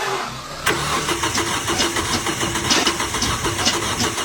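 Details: A rough, rapidly pulsing whir with a thin high whine as the car's engine cranks: a worn starter motor.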